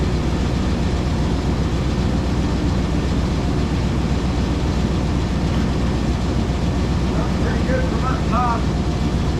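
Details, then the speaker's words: 2000 Chevrolet K2500 flatbed, 350 engine, idling after the exhaust leak was sealed with exhaust sealant the day before: even rumble, no puffing or ticking at the former leak spot; exhaust sounds sealed, though the sealant may blow out eventually. "I don't feel anything, guys and gals. I don't hear anything. Right in here is where it was, oops, hang on. Right in here is where it was all leaking. Nothing right now"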